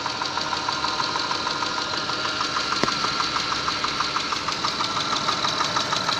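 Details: 6A13 engine, slightly warmed, idling, recorded in the car: steady light, sharp, regular knock about three times a second over the engine; knocks when warm, source not pinned down.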